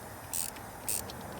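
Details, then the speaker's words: 351 Windsor cylinder pressurized with air during valve spring swap, truck in gear with e-brake on: three sharp hisses as tightening the centre stud compresses the springs and opens a valve, cylinder losing pressure. Air leak past open intake valve. "once i tighten it down enough okay so it lost pressure so that's an intake valve"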